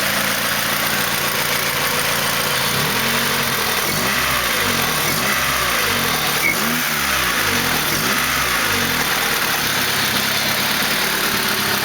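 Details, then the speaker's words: Freshly built D16Z6 engine in a 1991 EF hatch on its first run, with a chipped P28 on a stock tune and a Buddy Club Spec D exhaust. Steady, smooth idle at 950 rpm under background hiss, no ticks or hunting, no check engine lights; healthy. "No check engine lights, idling right at 950 where I set it."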